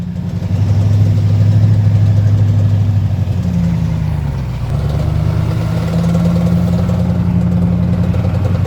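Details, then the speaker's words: Truck on a hill whose four-wheel drive doesn't work properly: low engine drone that sags around four seconds then climbs back; drivetrain noise of unknown source. "so apparently my four wheel drive doesn't work properly I'm not sure what's going on with it couldn't make it up the hill"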